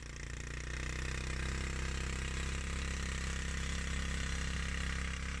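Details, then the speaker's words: Suzuki GN125, non-runner not started for over a year, first start with fresh fuel and new battery: a loud, uneven single-cylinder idle with a wet spluttering chuff; runs rough, owner suspects an exhaust blow. "Sounds like a big wet fart. Certainly sounds like it's got an exhaust blow anyway."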